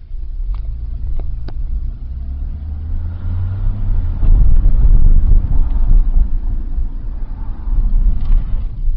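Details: 2001 Nissan Sentra SE 2.0 at idle, low and lumpy, stumbling and surging unevenly; a new fuel pump helped only a little, and replacing the weak mass airflow sensor fixed it. Rough idle from a faulty MAF sensor.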